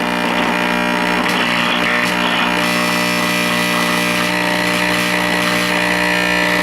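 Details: 1949 Motorola 58R11 AA5 tube radio after 50B5 output tube replacement: loud steady low buzz persists with volume fully down; failed filter capacitor letting mains ripple through.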